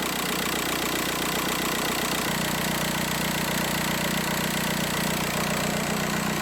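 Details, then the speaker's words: VW Beetle 1.9L diesel idling just after timing belt and water pump replacement, no dash lights: steady even clatter, no misses, knocks or hunting; engine sounds good. "all right guys so as you guys can hear the engine is running the engine sounds good"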